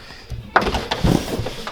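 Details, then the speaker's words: 1996-2000 Honda Civic EK hatchback driver door after manual window regulator replacement (old one broke with clinking): soft ratcheting creaks and light thuds as window winds down and up, no grinding or slipping; regulator works normally. "Windows go up. Well, windows go down, windows go up."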